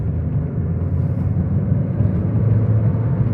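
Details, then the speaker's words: 2012 Mini Cooper S, turbocharged, pulling at about half throttle from roughly 32 to 50 mph: even, steady low rumble with the turbo winding up and no shudder, knock or rough patches. Clean, healthy acceleration. "You can hear the turbo wind up. So we're gonna give it a little bit of a pull."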